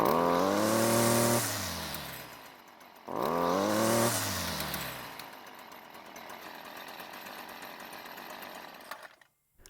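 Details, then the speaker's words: Stihl string trimmer that starts and runs but lacks power: two throttle blips climb only partway and sag back, thin and much quieter than it should be even with the trigger squeezed. "so the first thing i noticed was that it was a lot quieter than it should have been even when squeezing the trigger and it's not supposed to be like that it should have been considerably louder"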